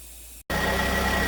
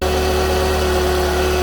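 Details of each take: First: 2009 Pontiac Vibe at idle after the alternator replacement for a failed rectifier, charging at 13.5 V into a low battery: a steady high-pitched whine over a smooth idle. Diode ripple is normal at 40–50 mV; the alternator is working hard, which is normal. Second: 2009 Pontiac Vibe at idle before repair, with battery drain and many warning lights (check engine, ABS, traction, brake, AWD, VSC): a constant thin whine above a smooth idle. Traced to a failed rectifier diode in the alternator.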